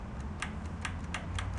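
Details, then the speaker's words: Junk riding mower/tractor engine, key turned on before opening the fuel system: light crisp ticks, ~4–5/s, over a low hum. Fuel shutoff solenoid firing normally; without it no fuel reaches the engine. "just wanted to make sure that that solenoid was firing which it is if that doesn't fire it won't allow any fuel to go into the motor"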